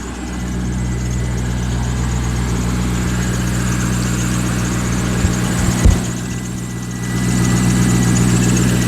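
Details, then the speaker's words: C5 Corvette V8 at idle after valve cover gasket replacement: steady idle with a light, fairly even chirp about four times a second coming from the harmonic balancer, which is next on the repair list. "hear the chirp from the balancer so that's got to be that's next up on the list"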